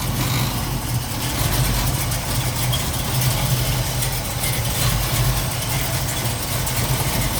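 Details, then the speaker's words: 1969 Ford Mustang Mach 1 at a pre-purchase inspection, idling with a deep even V8 burble, no misses or knocks. It starts right up, shows no smoke, and is not running rich or lean. "So we're going to do a quick startup for you, so you hear it run. So here we go. The owner's going to fire it up. Starts right up, sounds good."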